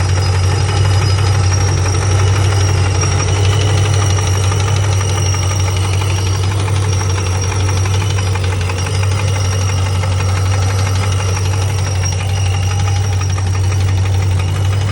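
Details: 2006 Pontiac GTO LS2 6.0 supercharged V8 at idle: fast, fairly regular knock about three a second over a deep hum, appeared suddenly; rockers and pulleys checked, no codes, drives fine; cause unknown, rod or lifter suspected.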